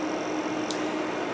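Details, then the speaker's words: Dell C1100 server, two quad-core Xeon L5520, PWM thermostat-controlled fans, room low 70s °F, about five minutes after power-on: soft even fan hiss, faint steady low hum, no surging or rattling; fans idling quietly as expected. "as quiet as it is right now it took about five minutes to quiet down"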